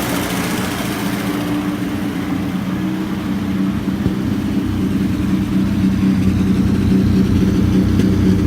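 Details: 1937 Chrysler Imperial Roadster during restoration, at idle: low idle with an uneven beat that stumbles every few firings instead of a steady rhythm; engine stutters and shakes, cause unclear.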